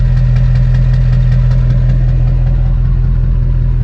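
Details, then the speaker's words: LB7 Duramax diesel, warm after a four-mile climb at about 70 degrees, turbo recently changed, coolant a little low: heavy low rumble with slightly uneven beat about three pulses a second; owner suspects an injector hanging up, no excessive exhaust smoke. "one injector almost sounds like it wants to hang up even though it's not bellowing an excessive amount of exhaust"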